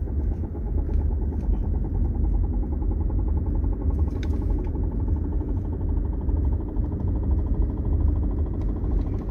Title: Dodge Charger Thumping/Knocking Noise, Drive Shaft, ( loose bearings)